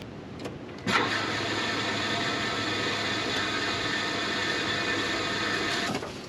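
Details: LS-swapped Chevrolet K5 Blazer after sitting all winter: starter spins engine steadily about five seconds but it never catches or fires; cranks, no start, under diagnosis.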